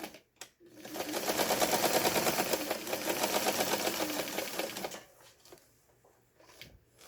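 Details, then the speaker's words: Mid-1970s Daewoo Dress household sewing machine sewing straight stitches after a completed repair; a steady, even clatter of about three stitches a second, then a clean stop. It sews normally. "기능은 없지만 여기 지금 여기는 이제 백 했던 부분이에요. 요건 일직선 바느질."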